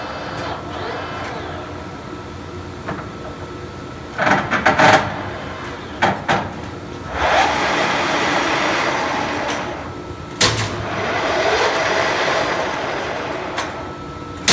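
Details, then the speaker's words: Turnmaster 15x50 tool room engine lathe on 230 V three-phase power: motor hum with a light steady whine rising from lower to higher spindle speed, some handling clatter between; spindle runs smoothly, normal running. "We have it hooked up to 230 volt 3-phase power, and we're going to turn it on here and show you that it works."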